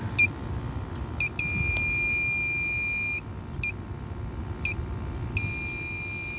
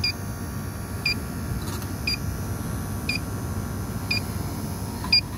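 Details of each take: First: Old Carrier package unit with no cooling, reported frozen up: irregular high chirps, then two long steady shrill tones of about a second and a half as the leak detector scanning the evaporator alarms on a refrigerant leak. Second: Refrigerant leak detector checking the evaporator of an old Carrier package unit with a no-cooling, freezing-up complaint. Slow steady beeps about once a second that never speed up, meaning no leak at this spot.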